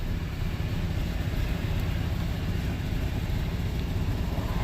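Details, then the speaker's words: 1996 GMC Sierra C1500, warm idle just after a drive, following the mass airflow sensor fix for sputtering and hesitation: steady low rumble with an even beat. Small exhaust leak known; smoother than before. "I have a little exhaust leak which I had to change eventually just don't have the money for it right now so it's pretty smooth it's not bad better than what it was"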